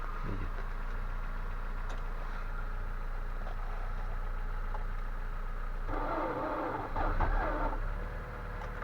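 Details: Nissan Primera P12 at −20° cold: steady cranking drone about three and a half beats a second that never catches; cranks but won't start. Spark present and scan data normal; suspected fuel washing oil film off cylinders, unconfirmed.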